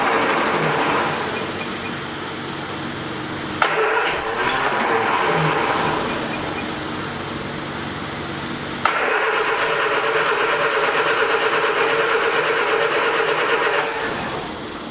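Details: 1979 Triumph Spitfire, sat about 20 years, two long bursts of cranking at about three turns a second, never catches; pump works, carburetor needle and seat suspected stuck, not confirmed.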